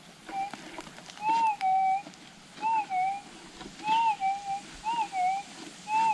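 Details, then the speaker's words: GPX6000 metal detector in noisy ground after switching to difficult ground type; clean rising-and-falling target tone about once a second over a quiet, steady threshold with no ground noise in between: clear target signal, stable threshold. "pretty obvious that one and no noises in between this is the important part"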